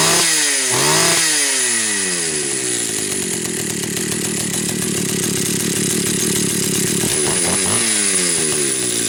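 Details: Pioneer Farmsaw II two-stroke chainsaw with chain brake gutted and cover removed: revs up, holds a high buzzy run, drops back and blips again; healthy saw, normal running.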